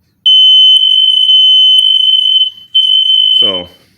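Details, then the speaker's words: Hardwired interconnected smoke detector, said to also sense carbon monoxide, green power light on, in a house under remodel: a loud, steady high-pitched tone for about three seconds; the test sounder works normally. "i know it's on i can say the green light well we're not gonna fight with it but just let you know it works"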